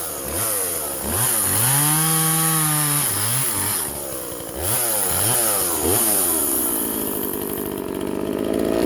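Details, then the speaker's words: Vintage Husqvarna 136 chainsaw, California emissions model, cutting wood after its plugged muffler was drilled open (carb also replaced): crisp high revving that dips slightly in the cut and recovers cleanly, no bogging; far better than before. "okay guys now let's see how she runs wow so"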